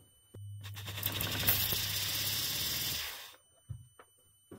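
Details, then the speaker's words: Audi RS4 B5 saloon, new AEM water-methanol injection kit tested: steady low electric pump hum with a loud spray hiss for about three seconds, then stop. LED turns brighter green and the injector sprays; pump works normally. "On entend bien la pompe. On voit bien la LED d'ailleurs qui au final passe en vert avec un peu plus d'intensité."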